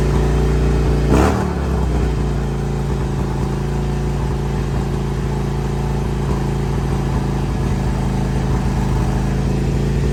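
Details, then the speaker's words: 2002 Harley-Davidson Road King Screaming Eagle (FLHRSEI) V-twin with misfire issues, just restarted after new plugs, wires, clamps and carb-side work, in neutral: fast steady low idle held well above normal, engine light on; intake air leak raising idle. "Still idling high. I got the engine light on."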